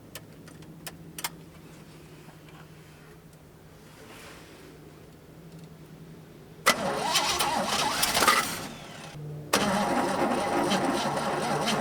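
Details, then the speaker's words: Long-parked truck with GM HEI ignition and a swapped carburetor with electric choke: it cranks, catches and idles roughly only while the key is held in start, then quits on release; owner suspects an ignition problem rather than the carburetor. "Well, that's weird. It'll run as long as I keep the key turned on, so it'll sit there and idle, but it just won't stay running."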